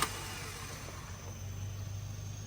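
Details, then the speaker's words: Tata CNG car, hard starting, no power, shaking, stalling at idle after a recent timing belt change; engine idles with a low hum and soft airy hiss: suspected gas injector leak, injectors removed and water-tested one by one. "เหมือนมีเสียงรั่วเดี๋ยวดูก่อนว่าหัวฉีดรั่วหรือเปล่าอ่าเหมือนหัวฉีดรั่วนะฮะ"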